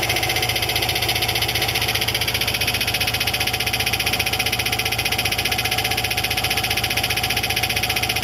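Sharp metallic tick about three times a second, very regular over the idle, like something loose slapping at the flywheel; cracked drive plate.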